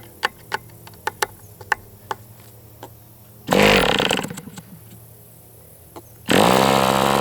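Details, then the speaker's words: MDS 68 FS Pro four-stroke glow model engine on break-in, warm. Pops, then a rough burst that sags and quits as throttle drops; won't hold low idle. Owner suspects low-speed needle closed or throttle stop screw set wrong. "So it seems like the low speed is just like closed or something, because anytime I go down it's just like, so I open that low speed up and maybe I've got my throttle stop screw set to open."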